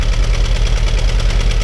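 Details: Fiat 500 16-valve engine idling low and lumpy with an uneven, stumbling beat; scanner shows multiple-cylinder ignition misfire, and the oscilloscope cannot test this coil, so coil, plug and injector are being checked.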